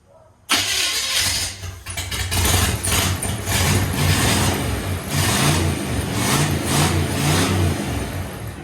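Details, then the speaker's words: 1969 Chevy C10 V8 runs only on fuel poured down the carburetor, rough lumpy burble; carburetor junk, not delivering any gas. "powder sounds so good but the carburetor's junk it's not getting any gas at all"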